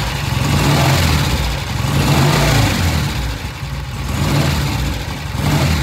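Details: Original-paint 1966 motorcycle, steady idle swelling cleanly into light throttle blips and dropping back without stumbling after the pilot air screw was turned out about a turn and a half to a couple of turns; the off-idle first eighth throttle, governed by pilot jet and air screw, now transitions smoothly.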